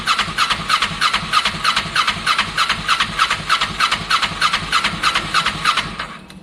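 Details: Kawasaki ER6n project bike, first start-up attempt on a borrowed new battery with old fuel in the lines: starter cranks about three compression strokes a second, no catch. Crank no start; owner thinks he hears spark, plans to add fuel, cause unconfirmed.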